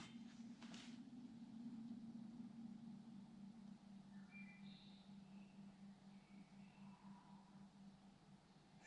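A low steady hum holds for several seconds then fades away; pipes are resonating, though nothing points to a cause.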